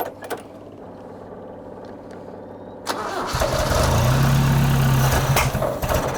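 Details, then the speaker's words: Toyota RA28 Celica Fastback carbureted engine with ballast resistor bridged and fuel added via accelerator pump: starter cranks steadily about four turns a second, then catches and settles into an even idle; viable, healthy start. "all right it looks like we actually have a viable engine i am absolutely stoked"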